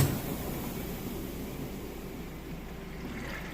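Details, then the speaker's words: Whirlpool top-load washer on final spin at full speed, lid being lifted: steady low whooshing rumble at even level, no thumping or banging; drum spinning fast and balanced, lid safety switch then stops it. "Spinning nice and fast, nice and balanced."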